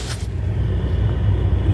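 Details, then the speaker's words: Hartke HD150 bass amp: deep, constant furnace-like low rumble with no top end, present even with volume and EQ turned down and worse as EQ or volume is raised past about half; internal amp noise. "do you hear something sounds like a furnace inside the amp can you believe that very annoying"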